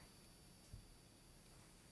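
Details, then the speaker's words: Hubsan Zino drone at power-up: a faint, steady, high electronic whine from the gimbal, with a small knock partway through; present since new and sometimes stops when moved. The owner wonders if it causes jello. "there's a hum sounds like it's a frequency hum"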